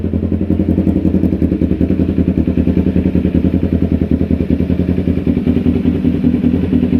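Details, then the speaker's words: 2010 Kawasaki Ninja 250R twin after no-spark repair and flood-damage restoration, new unoiled filters: perfect startup, crisp even pulses at idle and revving to the rev limiter, clean response, healthy engine. "And I still have to oil them, but perfect startup. Sounds happy. Taking the whole rev limiter now. Oh yeah, she's happy."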